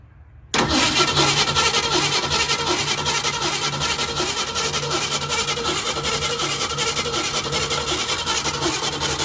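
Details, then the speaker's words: 1965 Mustang 289 V8, restarted day after first fire-up: faint fairly even light tapping over idle, quieter than the previous day's suspected lifter tick but still clicking; loose rocker arms, needs valve adjustment. "does sound a lot quieter as far as that lifter tick I think we were getting yesterday goes, which already makes me feel a little better. It is still definitely making a little bit of a click, a little tap."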